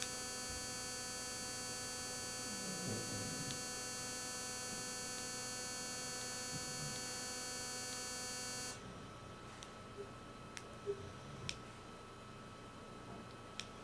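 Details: Speakers connected to an Apple TV pick up a steady mains-type hum with thin high whistles when fast-forward is pressed or when navigating to the main menu. The noise cuts out abruptly after about nine seconds; its source is unknown.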